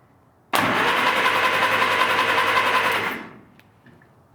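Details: 1947 Willys CJ-2A engine, unused 30 years, cylinders soaked with Mystery Oil, turned over on a proper battery before plugs fitted: steady, even starter whir with regular compression pulses for about 2.5 seconds; turns freely, normal.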